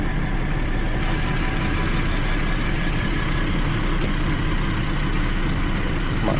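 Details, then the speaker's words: 2012 Jeep Liberty 3.5L V6 that misfired on cylinders 1 and 5 after coolant soaked the engine bay: after drying and reseating an ignition connection, steady, even idle with no stumble; misfires gone. "Okay click just tight okay that already sounds better they're dry what do we have no more misfires excellent good"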